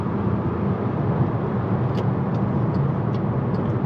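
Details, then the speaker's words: MK6 VW GTI driving after the failed turbo was replaced: a steady engine and road hum while picking up, with the old internal wastegate rattle gone; the turbo sounds healthy. "Okay, she's got a little pickup. Definitely do not hear no damn rattle from the internal wastegate anymore."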